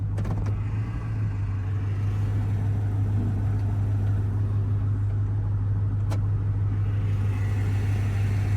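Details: 2002 Chevy Silverado 1500 automatic with blown transmission, put in first gear: low steady drivetrain drone with uneven rumble and no clean pull; failing transmission.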